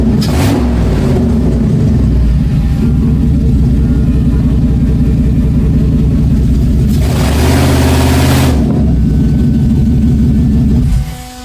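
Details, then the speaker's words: 1995 Mercedes S500 W140 V8, catalytic converters removed, vacuum lines fixed after poor rev idle: deep, even burble rising smoothly through blips and settling back with no miss or stumble; now running perfect. "I am absolutely thrilled we got the 1995 Mercedes s500 that's right up under here finally running perfect"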